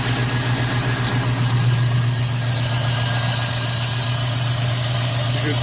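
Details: Jeep Grand Cherokee with a Dodge/Jeep 4.7 engine, worse gas mileage: a steady low idle with an uneven, stumbling beat. Unplugging coils pins the dead cylinder as number one; a bad plug, coil or injector is suspected.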